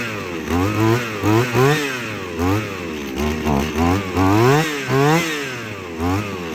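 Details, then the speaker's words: Shindaiwa T270/C270/PB270 two-stroke trimmer after carburetor replacement, primed and choked: quick throttle blips, small engine buzzing up and down, catching cleanly each time; running properly again after extra priming. "well she lives again ended up just having to prime it a few more times"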